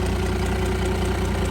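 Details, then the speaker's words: Cummins diesel burnout truck, thought blown up, just restarted: even steady idle clatter with a little exhaust kick "like a sewing machine", said to be normal and common on these; no heavy knock; normal idle. "a noise at all that's that's normal that's common on these that's just the exhaust he's got a little exhaust kick like a sewing machine"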